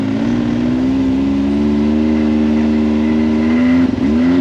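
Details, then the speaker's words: Can-Am Maverick X3 after secondary clutch spring replacement, climbing an incline in low gear: steady, slowly rising drone with no flaring or surging revs, and the belt grips without slipping. Normal CVT engagement under load. "asking me for low gear it won't even slip with that spring now in low gear"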